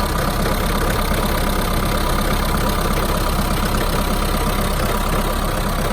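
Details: Mahindra Roxor diesel cold start in winter (about 15°F expected): idle clatter with an uneven, slightly lumpy, missing beat; runs rough for the first one to two minutes after starting, then settles out.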